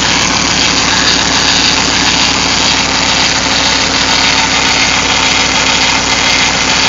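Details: Hemi with aftermarket cam, first start after cam and flex-a-lite fan install: loud rough idle with a thin steady high whine; power steering fluid had been drained, so the pump whines from low fluid and air.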